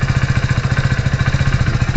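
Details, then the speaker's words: Hero Splendor Plus BS6 motorcycle at idle: steady idle with an even rapid ticking on each firing pulse, about fourteen a second; owner attributes the ticking to increased valve clearance, not yet serviced. "बाकी एक जो आवाज आ रही है valve का clearance बढ़ने के वजह से"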